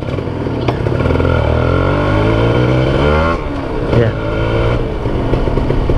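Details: Kawasaki Ninja RR after replacing the noisy original chain and sprocket set with a new, thinner SSS gear set: steady engine pulling through the gears with smooth revs and no chain slap or grinding; normal chain drive.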